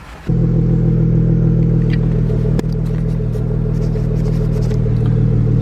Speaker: Smooth idle on the dad wagon. I love this thing, dude.